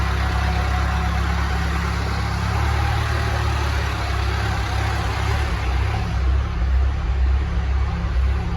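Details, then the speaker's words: Telehandler diesel with recurring fuel issues (dying, not restarting): steady low rumble holds at an even idle after key is turned off, keeps running before finally shutting off; engine run-on. "I just turned the key off, now it won't even shut off. Why is that? Oh, there we go, finally shut off. Well, that was strange, that's a new one too."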